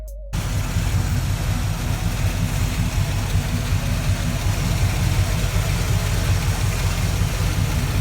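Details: Chevrolet C10 truck as bought, before the rebuild, starting and settling into a steady, even low rumble with a slight lopey pulse, no knocks or ticks; healthy idle.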